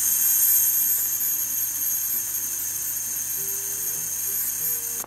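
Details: Audio Technica AT-LP120 turntable, recorded via camcorder mic and amplified: thin steady high-pitched squeal like a tiny drill while motor turns, about -33 dB; unresolved squeal.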